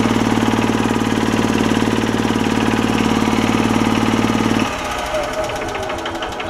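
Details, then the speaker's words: 2006 Club Car DS gas golf cart, Kawasaki single-cylinder, leaking oil from a blown crankcase gasket; rapid, regular tapping about three to four a second over the exhaust thump; light knock with some smoke, suspected from once running low on oil. "I think somebody is running low on oil at some point because it's got a little bit of a sounds like a little bit of a knock to it and uh smoking a little bit"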